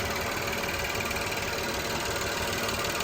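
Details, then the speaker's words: VW CC direct-injection engine, first run after rebuild with new rings, WD40 burning off: steady even hum with fast smooth ticking, no knocks or misses; idling cleanly. "listen to that direct injection oh it's purring oh she's purring"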